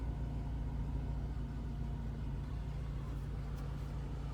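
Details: Mercedes 500SL R129 with M119 V8, cold start after sitting over a month with the battery reconnected: deep V8 burble at low idle with a slightly uneven, lumpy pulse, which the owner expects to straighten out as it warms. Rough cold idle.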